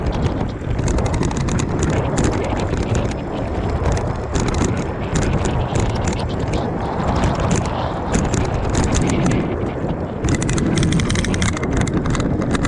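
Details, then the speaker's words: Aipas A2 Elite e-bike ridden over bumps with the wheel, rotor and stem already tightened: sharp irregular metallic clanks over wind noise; blown front fork that leaks grease, now metal to metal with no cushion or rebound. "And obviously because all the grease is out of it now, and it's just metal to metal and clanging."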